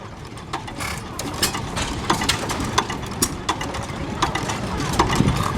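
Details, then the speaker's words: Old hit-or-miss stationary engine with a governor holding the exhaust valve open between firings, coasting on momentum: sharp firing pops in irregular bunches with quiet coasting strokes between; normal smooth running. "Count how many strokes it goes before it fires again. That's a smooth running engine."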